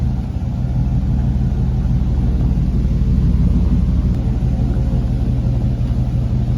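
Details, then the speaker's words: Truck just fitted with a new aftermarket exhaust, tips crooked: deep, throaty rumble that holds steady and even through the rev, no knocks or rattles; sounds better than before. Normal revving. "That sounds better. So that sounds better."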